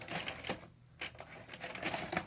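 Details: Hitachi VCR UX625: loading mechanism clicks and clatters in quick bursts as it repeatedly grabs and ejects the tape, accepting it only on the fourth or fifth try then just rewinding; controls unresponsive; rotary encoder switch cleaned without change.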